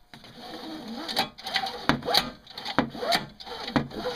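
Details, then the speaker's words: Craftsman 5hp 21" two-stroke snowblower recoil starter grabbing: slow rasping rope pulls about once a second with scratchy catches and uneven drag; owner suspects the worn pull starter, still stiff from long storage, binds; it still works. "think the pull starter itself is a little worn and then it grabs sometimes it takes a little longer"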